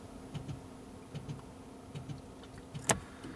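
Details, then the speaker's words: Toyota Prius with code P0A80 (hybrid battery failure) will not start; READY flashes and no zero shows. Faint, dull clicks in quick pairs repeat every 0.8 s from the rear, believed to be a relay or solenoid as the 12 V battery tries to engage the hybrid battery. "in the back you can hear it clicking which I believe is a 12 volt battery trying to click on the hybrid battery to take over the system"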